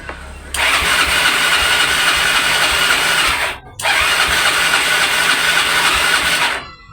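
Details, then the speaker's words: Yamaha Mio scooter that won't start, tested on both kick starter and electric starter: two bursts of fast, light, even cranking with no firing; engine spins freely, no start from lost compression. "jadi mesin enggak mau ngangkat di starter juga enggak mau ngangkat di sel juga enggak mau ngangkat"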